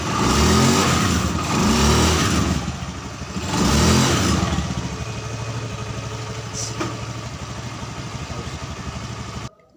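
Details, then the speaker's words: Honda Scoopy FI scooter after CVT repair: revs up in strong, clean pulls, then settles into an even run with no grind or shudder; CVT, previously rough and sluggish at low rpm, is responsive again, normal operation. "Untuk tahap pengetesan tadi oleh saya sudah saya lakukan dan itu kembali responsif ya teman-teman pada area CVT ini yang tadinya kasar dan juga lemot tenaganya."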